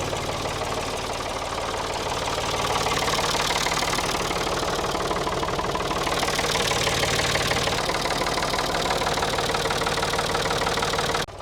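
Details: Abandoned Ford 3000 diesel tractor after overheating and steaming: clatters at idle with a hard, fairly even knock about three per second keeping time with the engine; cause suspected, not confirmed.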